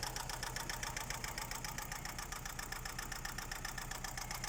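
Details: Daewoo Nexia engine at idle: a sharp, even tapping rides on top of the idle at roughly three to four knocks a second; internal engine knock of unknown cause.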